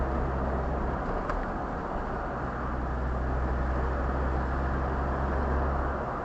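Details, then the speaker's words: Land Rover Discovery 2 TD5 diesel after turbo wastegate replacement, driving on the road: steady low drone under road and wind noise, smooth and even with no knocks or misses; normal engine and exhaust note while driving. "doesn't it sound beauti beautiful"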